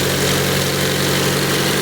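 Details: Hyundai Sonata at idle with abnormal sound and body vibration; the parts to change are not identified. Steady idle with a coarse, droning hum and a faint uneven flutter underneath; cause unclear.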